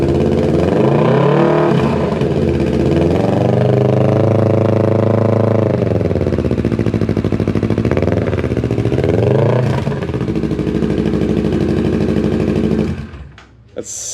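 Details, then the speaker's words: Kawasaki Ninja 650 at its first start after a full Delkevic exhaust install, revving to about 3,000 rpm: loud, deep twin blips that fall back cleanly with steady firing and no misses. This is normal revving on the louder aftermarket exhaust. "so different. That was only like 3,000 RPMs too."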